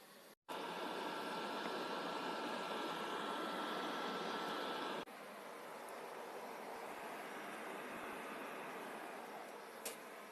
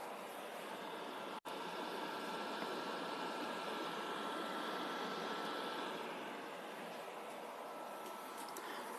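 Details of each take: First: Noisy PS4 after full disassembly, cleaning and thermal paste replacement, final test with a game running: fan starts blowing with a smooth, even airy rush, no rattle or grinding; normal fan under load. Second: PS4 during gameplay: loud, steady jet-like fan roar. Suspected cause is dried thermal paste letting the processor overheat; planned fix is full teardown, dust cleaning and new thermal paste.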